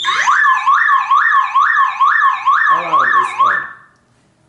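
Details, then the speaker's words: Car anti-theft alarm tripped by disconnecting the battery: loud warbling siren sweeping up and down about twice a second, then cutting off; the old alarm is being deactivated. "when I like to like replace this car's battery this alarm makes right away this this sound"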